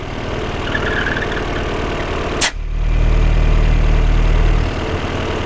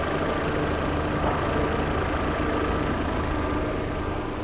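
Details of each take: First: Peugeot 408 at idle: a faint hiss comes and goes, vanishing with the oil filler cap off and returning when refitted. Faulty PCV valve in the valve cover; replacing the cover fixed it, as the valve isn't sold separately. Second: Peugeot 408 restarted, idle stabilizes smooth and steady with no ticking over engine hum; engine noise, blamed on noisy valve in cover cap seal rather than timing belt, no longer present.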